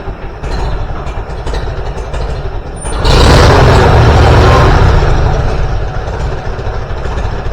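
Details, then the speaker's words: Farmall B tractor after replacing a weak ignition coil: engine runs with a steady, even beat, picks up smoothly when revved and settles back without misfires; good oil pressure. "That's way better. Power right now. Okay. Go for another one. Wow, not bad, not bad. Listen to that thing purr."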